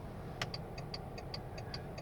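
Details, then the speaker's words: VW Touareg 7L 2.5 TDI R5 at idle after fitting LED indicator bulbs without resistors: rapid paired relay clicks, hyperflash about twice normal speed, even on hazards, as the car sees no bulb. "it flashes up already even on the hazards and you hear the clicking noise so the relay is going twice as fast because it thinks that there's no bulb"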